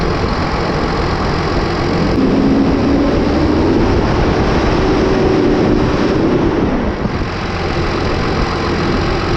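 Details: New Holland T8020 tractor with a Cummins 8.3 L diesel, after fitting new Bosch injectors: fires and settles into a fairly steady rumbling idle with a faint whistle, no misfire or knock; normal idle.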